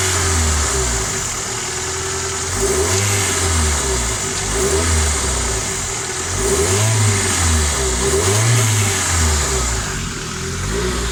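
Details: Freshly rebuilt Nissan SR20DET blipped repeatedly: metallic rattle starting around 3000 rpm from the exhaust side; no VTC or wastegate play found, cause unknown.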